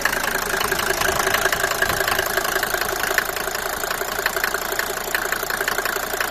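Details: Mercedes W124 250T diesel, 245,000 km, cold idle with fast uneven light ticking around 160 per minute over the clatter, after head gasket and valve stem seal replacement; cause unknown.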